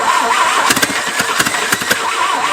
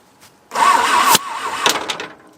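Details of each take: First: Abandoned 1950s-60s Willys Jeep truck, bumped with the starter wire while fuel is poured in by hand: a few sharp, uneven pops as the engine briefly fires to life; starter may be getting warm. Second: Abandoned, long-buried 1950s-60s Willys Jeep truck on an Iowa farm, battery charged for half an hour after a suspected dead battery: short, strong, brisk starter cranking that winds up evenly and cuts off; normal cranking speed.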